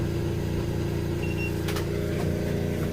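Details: Fischer Panda genset on a Grady White 336 boat, started after waiting on parts for repair, running smoothly at 120 volts as expected before loading with AC and chargers. Steady low drone with a constant tone and no knocking or hunting.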